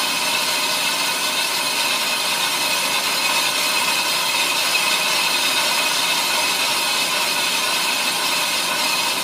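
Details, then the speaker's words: Ammco brake lathe machining a brake drum, about a quarter inch left to go: steady high hissing cutting sound with an even tone; smooth light finishing pass running normally, chatter strap fitted. "okay you can tell by the sound NE brake drum is pretty much done so I'm going to go ahead and disengage my cutter head turn that lever off we'll power down the machine"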